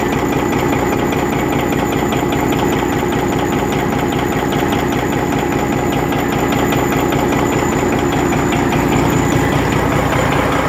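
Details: Rebuilt Detroit Series 60 diesel at steady idle with a sharp repeating knock, two or three a second; one injector was adjusted at a lower rate.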